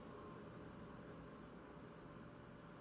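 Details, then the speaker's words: Power Mac G5 restarting after system install: loud, steady rushing whoosh of cooling fans at full speed with even tone; normal fan spin-up at boot. "so let's just restart it there we go oh the fans are kicking in"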